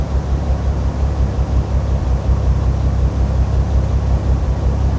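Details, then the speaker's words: Cold 2005 Bentley Continental GT idling slightly high with the EVAP disconnected: a deep, fast rumble with a lumpy, uneven exhaust pulse like cylinders dropping out. It still misfires, unchanged from before. "still miss fires. It still feels like Oh, no. It's exactly the same as it was."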